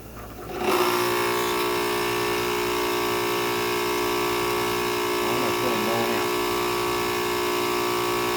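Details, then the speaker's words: Ryobi RY142711VNM electric pressure washer with a new CBB60 120 µF motor run capacitor, water on: steady, even motor hum and smooth pump note with no surging or stalling, drawing about 3.5 A once started; running fine. "It's only pulling 3 and 12 amps once it gets started. And it seems to be running just fine."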